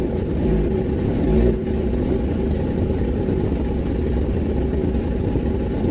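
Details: Kawasaki ZX10R four-cylinder after cylinder 3 valve repair (compression 172), coolant not yet added: steady idle with brief blip, no misses; hard-start fixed, running cleanly.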